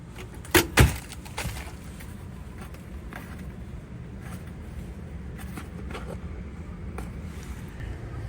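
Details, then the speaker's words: Fixed-speed (not variable) blower switched on remotely by app, running a bit low: a brief jangle, then a steady low even whoosh with no knocks or squeal; normal blower operation. "Oh yeah. Let's hope the blower came on. Yeah, it's on. Kind of low."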